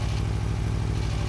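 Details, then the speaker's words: 2024 Aprilia Tuono V4 1100 Factory on its first ride, under way: deep fast engine throb with a rough clatter that disappears with the clutch pulled in. The rider attributes it to the transmission, possibly gear rollover or something else; unconfirmed. "I'm going to clutch in. That noise is gone. That's the transmission. That could be gear rollover or something else."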